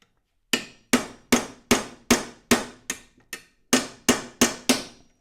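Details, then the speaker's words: Amberola V phonograph gear train: eleven sharp ringing ball-peen hammer strikes, about 2.5 per second, driving the press-fit gear off its shaft so it comes loose. "You can hear it when I'm hitting it. It's coming apart. You see how this came loose like that?"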